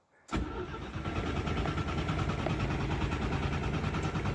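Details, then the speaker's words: Citroën GS Spécial (1974) under restoration, cranked with the fuel tank out: strong, even cranking at a steady speed with no grinding; the starter is healthy, but the engine doesn't start, and it's unclear whether the fuel pump is delivering. "Sounds like a very good starter engine."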